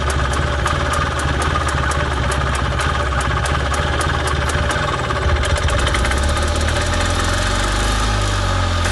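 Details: Parcar golf cart single-cylinder petrol engine just started with the choke on, running off a squeeze-bottle tank; the old tank fuel is rancid. Idles steadily with a light even ticking over a low drone: normal idle.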